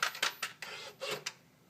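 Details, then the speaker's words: 2013 Ford Focus: repeating sharp click-click-whir from the right side of the engine bay, starting after the door is opened and shut, every ~8 seconds, about 25 times over 2.5 minutes; dealer calls it normal, owner disagrees; fixed per TSB 13-4-18, unrelated to grille shutter. "walk up to the car open the door shut the door and it starts doing this little dance every time about every 8 seconds or so it'll continue to do this until it gives up usually around 25 times later 2 and a half minutes later"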